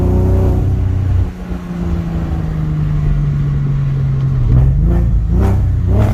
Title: Porsche Boxter S 986 Bad Misfire